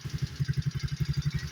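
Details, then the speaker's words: Coleman AT125E four-wheeler single-cylinder engine idling after a tune-up with the carburetor dialed in: steady low thumps with a faint light tick from an exhaust or intake valve, needing valve adjustment. "so that exhaust it's either exhaust or intake valve it's ticking a little bit"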